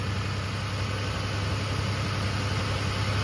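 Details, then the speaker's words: 2001 Toyota Tundra V6 idling with a low, lumpy rumble, uneven beat and visible engine shake from a misfire; check engine light flashes on acceleration, risking engine or catalytic converter damage. "because of a misfire. So when you accelerate, it actually starts to, the CEL system, the check engine light, starts to flash on you."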